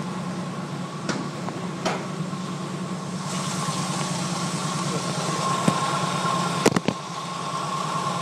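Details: 1980 Jeep CJ5 cold start after sitting four or five days through sub-zero nights, around five degrees out: steady even idle rumble, no misses or knocks, a couple of background clicks; idling well.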